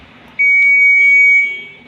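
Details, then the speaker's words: IFB front-load washing machine control PCB after repair: powered on, a single clean, loud high beep about a second long then fading; buzzer now sounds properly, which it did not before the repair. "अब देखिए आवाज़ भी बिल्कुल टना ton आने लग गई। पहले ऐसी आवाज़ नहीं आ रही थी ये।"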